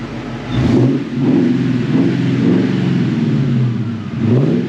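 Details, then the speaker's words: Mustang revived after sitting nearly two years: clean throttle blips with revs rising and falling smoothly, no misfire or knock; engine sounds good, though it still needs brakes. "She still sounds good. Still sounds good. Sounds good indeed."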